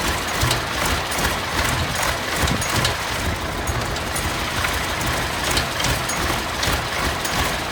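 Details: Massey Ferguson 1155 tractor found parked for years over a hydraulic issue, fuel primed up to the filters: heavy diesel clatter catches and runs steady and even with a low rumble.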